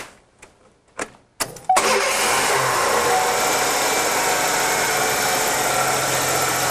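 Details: Car engine already warm from being driven in, restarted to bring it to full operating temperature for testing: a few clicks, then it catches promptly and settles into a steady, even idle with no stumble or miss.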